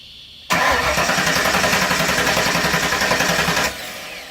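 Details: Factory Five roadster with FiTech fuel injection: starter cranks steadily about 220 rpm for three seconds, voltage dropping to 10 V, never catches; crank no start from bad EFI ECU, confirmed when replacement started it right up.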